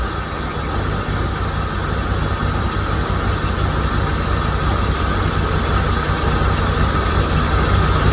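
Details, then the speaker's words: 1987 Corvette C4 V8 with TPI, after installing a new mass airflow sensor: steady, even low rumble idle with no misses or knocks; MAF was the problem, slight vacuum leak in the runners remains. "That's what it was, mass airflow sensor. Now, I do have a slight vacuum leak in the runners."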